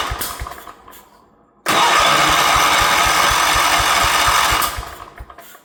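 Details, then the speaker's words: 1977 Wheel Horse B-100 tractor with rebuilt carb, old fuel pump removed, more throttle given: slow even starter thumps about four a second, engine cranks but won't start. "Give it some more throttle. It's not interested, is it? not behaving."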